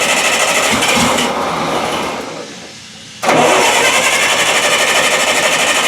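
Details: Bobcat 610 skid steer with Wisconsin engine, sitting since April or May, stalled and won't restart; starter cranks steadily about three turns a second, pauses, cranks again, never catches; owner suspects no spark or carburetor issue after two hours trying.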